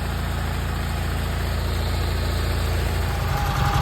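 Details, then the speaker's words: Massey Ferguson 205-4 tractor that had been sitting, mice mess in the air cleaner; float bowl full but carb slow to draw fuel. After battery charging it runs with a low, steady, even beat and no misses. Carb needs slight adjustment. Normal running. "there you have it once again running pretty good adjust the carburetor a little bit"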